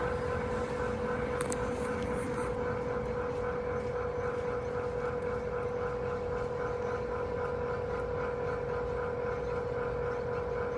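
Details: Fujitsu room air conditioner outdoor unit making an abnormal noise: loud steady mid-pitched hum with a fast throbbing pulse riding on it.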